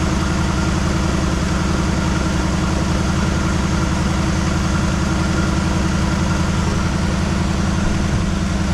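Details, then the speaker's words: 1973 Chevrolet Malibu parts car, first start after sitting 25 years, with fresh gas, points checked and possibly old gas in the carburetor: a cold, uneven stumbling idle with a choppy exhaust pulse. Missing on probably three cylinders. "Doesn't sound very happy. It's missing on probably three cylinders."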